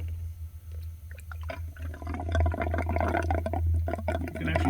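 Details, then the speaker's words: Subaru Forester cooling system refill with the throttle body heater hose left off: irregular bubbling and glugging as coolant poured into the funnel pushes trapped air out of the open hose. "can actually hear it gurgling out over here. So that's basically pushing all the air out."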